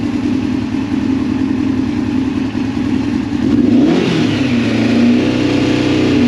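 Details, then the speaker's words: 2002 Yamaha FZ1 1000cc four-cylinder, first start in 8 years after a gas tank cleaning, new petcock and idle turned up: a steady idle, then a clean rev that rises smoothly and settles back evenly. Normal revving. "Turn this idle up a little. Ah, look at that. The big fires right up though. That idle is sick."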